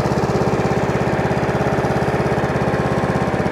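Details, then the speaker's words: Hayter 41 variable-drive lawn mower, after replacing the belts: steady, even single-cylinder idle with no knocks or misses; the throttle goes fast and slow and the idle is normal. "so it goes fast it goes slow uh idle as a quantum should"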